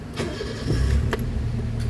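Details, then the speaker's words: Toyota Vitz started after repair, with parts replaced, systems cleaned, wiring fixed; short crank, then catches cleanly into a quiet even idle, no knocks or misses, and the earlier jerking vibration is gone. Normal engine start. "Oh, okay yung andar. Okay na. Tahimik na yung andar."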